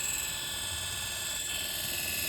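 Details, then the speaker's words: 1961 Rolls-Royce Silver Cloud generator on the bench run as a motor, 6 V on field, 12 V on commutator, bearings re-lubricated: steady, even high-pitched whine, no crackle, surging or sparks; spins smoothly and sounds healthy. "Here it's running 6 volts on the field, 12 volts on the commutator. No sparks or anything."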